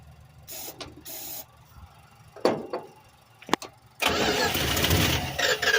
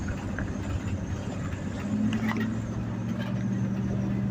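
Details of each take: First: 1986 Dodge W150, fuel line off the carburetor while priming: scattered faint clicks, then the engine catches with a loud rough roar on starting fluid before fuel arrives. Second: 1986 Dodge W150 with stock 318 V8 after a mechanical fuel pump replacement, road test: steady, even drone with a smooth low hum under light road noise, no knocks or misses, transmission shifting well; sounds healthy.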